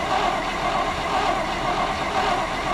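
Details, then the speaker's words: 1962 International Harvester C112 pickup V8 after Holley 2-barrel carburetor rebuild, new plug wires: steady, even exhaust rumble through true dual glasspack exhaust, no misses or shake; idling smoothly on all eight. "beautiful beautiful running on all eight not a shake so we my Lord what a good running truck tonight"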